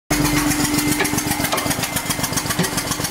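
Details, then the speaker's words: 1999 BMW E46 323i, M52TU engine, spark plug blown out of number two cylinder stripping aluminum head threads, running without plug: loud sharp puffing pops each firing over rough idle; compression leak. "that don't sound good this is my 1999 e46 323i bmw and it blew a spark plug out of the number two cylinder"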